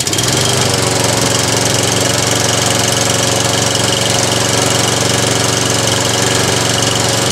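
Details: Toro Recycler lawn mower during an Automatic Drive System conversion: small single-cylinder engine runs steady and even at a fast, regular beat with no misses or surging; owner notes the primer bulb needs redoing and the starter recoil is somewhat noisy; normal running.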